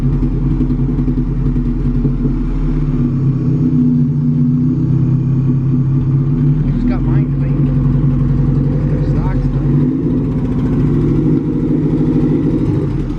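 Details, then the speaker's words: Vehicle cruising on part throttle: engine note stumbles and chops unevenly over road noise, clearing up at full throttle; owners suspect a fuel issue and plan to try different injectors. Unconfirmed. "l Throttle you go Full Throttle it clears right up but anything under Full Throttle it has that sound to it so I I think it could be something fuel like what you're saying"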